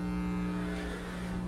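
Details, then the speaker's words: Constant low buzzing hum from speakers on a PA system with no program playing, no change in pitch or level; ground loop noise in the audio wiring. "hello youtubers today I'm going to show you how to get rid of this annoying ground aloof noise as you're hearing do these speakers"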